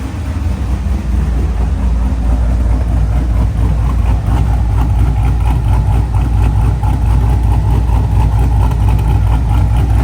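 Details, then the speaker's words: Trans Am WS6 with heads/cam, new CHE trunnions, billet rocker pedestals and pushrods, heard from the rear: smooth, even idle with steady burble and no ticking. The earlier noise is gone; the lifters had drained of oil and needed to pump up. "I'm so glad the car's not making that noise anymore. I guess you could say it fixed itself, but I think all it was the lifters were just drained of oil and they just needed pumped up."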